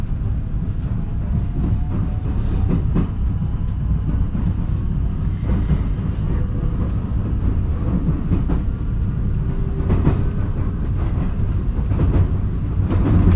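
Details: Onboard running sound, JR 223 series set W17, Osaka to Kyoto, 13 Sep 2018, stopping at all stations from Takatsuki; steady rail rumble with irregular heavy recurring thumps, abnormal wheel flat thumping.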